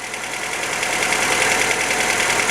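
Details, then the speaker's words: 1977 MGB, off the road many years, after rough timing adjustment and with good oil pressure: runs properly with a fast light ticking rattle over a busy idle, steady with engine speed; tappets need adjusting. "but she sounds good A bit rattly as I say but we can get that sorted that's the tappets"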